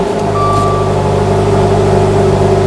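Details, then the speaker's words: 2015 Dodge Dart 2.4L with an intermittent no-start despite a new starter and battery; engine catches at once and settles into a smooth, even idle; suspected cause is a bad fuse connection, terminals to be drag-tested. "car just started right up this car just started right up I think our problem with this thing I think our problem was a dog on fuse connection I really do"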